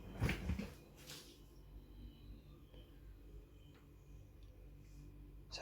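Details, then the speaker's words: Refrigerator fan after repair: a quiet, steady low hum, running smoothly, with a few handling knocks. It was much quieter than the noisy fan before the fix. "para el ventilador ahora encenderán silencioso total bueno hacemos un poco de ruido pero comparado con antes silencioso total"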